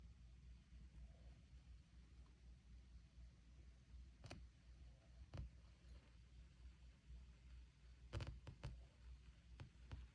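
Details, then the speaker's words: Tube amplifier with the speaker cable swapped between channels: irregular sharp pops and crackles over a low steady hum, and the static follows the channel. Popping static from a faulty amplifier tube in one channel. "I switched the speaker cable from the amp, so the static noise changed from there to the other. This is the tube."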